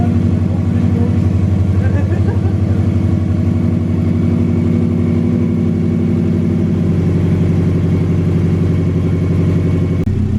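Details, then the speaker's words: Subaru flat-four idling, warming up, with no air filter fitted, after replacing spark plugs to cure a misfire/backfire (coil packs tested); low steady burble, even beat, no stumbles: normal smooth idle. "Okay guys, so it's been about 5 minutes and the chalk has come off and the engine is still idling nicely, mashallah."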